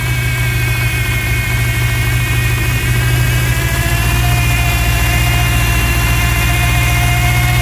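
A rough, slightly uneven idle with a faint hiss over the engine note fits a large intake vacuum leak.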